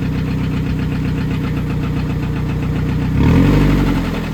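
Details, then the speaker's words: Scion tC that had not run for a month, after starter replacement, idling with cam/crank timing issue suspected: steady deep knock about four per second, louder when blipped; called rod knock, worn rod bearing. "rod knock. Got rod lock."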